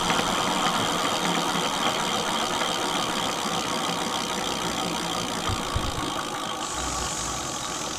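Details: Mate X 20x4 fat-tyre e-bike geared hub motor after regreasing: gritty rattling growl with thin high whine on a steady run; gears still rough, owner suspects insufficient grease.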